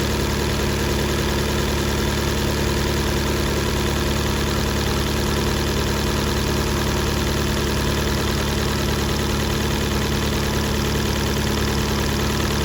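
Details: 2018 Fiat 500 after diesel was put in the tank and the fuel pump replaced: rough, uneven idle with a loose stumble a little over two a second; still misfiring, plug debris damaged valves, low compression.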